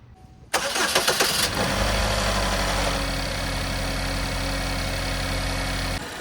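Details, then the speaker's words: Chevy Equinox 4-cylinder after cleaning the intake VVT solenoid with throttle body cleaner and clearing P0010: short crank, clean catch, steady even idle, no misses or ticking; normal, code did not return. "We're gonna start it up, let it run for a little bit, see where we are."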